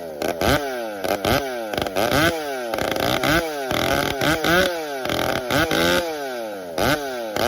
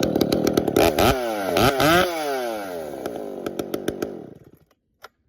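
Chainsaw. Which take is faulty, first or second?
first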